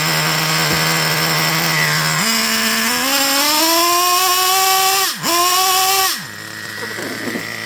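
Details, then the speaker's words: Traxxas Revo 3.3 nitro RC truck engine during tuning: whine climbs slowly and flattens, never revving all the way up, then drops off throttle; sluggish running, earlier cutting off when throttle released. Cause unconfirmed. "Notice it never revved all the way up."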